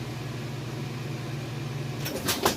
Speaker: Okay, and we are at the end, high spin cycle, and it's getting up to full speed. As you can see, it's nice and smooth. It's not shaking or wobbling or anything like that. No weird noises. Sounds good, it's running good.